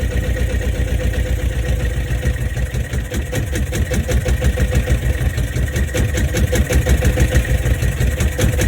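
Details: Boat diesel on its first run in over four years, after an oil pressure switch replacement: ticks over slow and slightly lumpy at a few beats a second; idle sits low, and the owner wants to raise tick-over a fraction.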